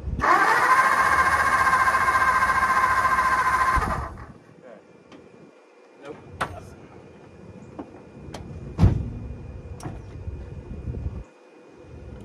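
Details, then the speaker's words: 1954 Ford Mainline long unused, cranking while testing for spark: about four seconds of steady cranking that never fires, then the starter stops; no spark, so no start. "nope big surprise no spark"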